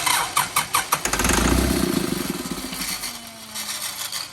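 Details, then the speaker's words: Old Kubota M7500 tractor being primed after its injection pump was rebuilt: the starter churns in quick even pulses, then the engine catches with a short rough roar and fades, running on ether only, without fuel. "What you heard there was it running on ether. That's a different sound."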